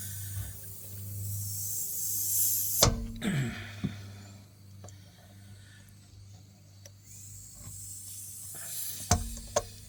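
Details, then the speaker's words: Car tire jacked up after airing, with a long screw puncture: thin high hiss of escaping air that fades; air leaking through the puncture before plugging. "I can hear a little bit of a a little bit of a noise there. Move the camera out of the way a little bit so I can actually get to it. I can hear it starting to leak."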